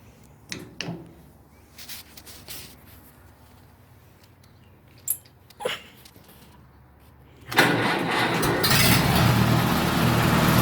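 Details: Massey Harris 81 tractor (engine from a 101 Junior), hood off, first start in 15 years after a carburetor rebuild and choke adjustment: a few handling clicks, then the engine catches at once and settles into an even, steady idle with no misses; normal.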